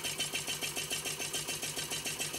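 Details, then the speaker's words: First run of a new DIY Stirling engine after smoke burned off the displacer: a light, quiet, even beat of about five strokes a second with a soft steady chatter; running smoothly, its most powerful yet, later producing 1.21 watts. "sounds a lot more like what it should sound like it's very quiet I like it I really like it"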